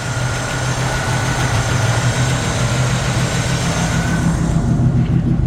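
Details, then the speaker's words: 1950 Ford F1 truck, 12-volt conversion, still slightly cold at about 26°F, heard under the hood: low even rumble at steady idle, no ticking, knocking or misses; healthy. "Still really pretty under the hood. Hear how nice the engine runs."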